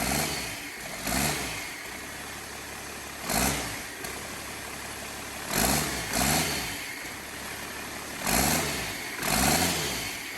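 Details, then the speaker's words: 12-valve diesel test-fired for the first time in a squarebody F-350 frame, before clutch and transmission are fitted, fuel shutoff held open by hand: steady clattering idle between short rev bursts, running evenly; normal on first start. "So when you hold the fuel shutoff wide open, they let it fire right up, which you can see is what I'm doing here. Enjoy this next few seconds of this clip where the motor's running and everything."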